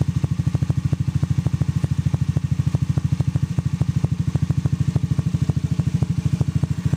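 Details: Honda Zoomer-X engine at idle: steady light ticking about two and a half per second from excessive valve clearance, calling for valve tappet adjustment.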